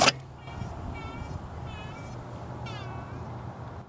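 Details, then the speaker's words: Ford Explorer idling, high chirpy squeak repeating about once a second; alternator bearing checked okay, worn water pump bearing found. "alternator bearings sounds okay things doing okay oh yeah the water pumps going I don't know if you can hear that"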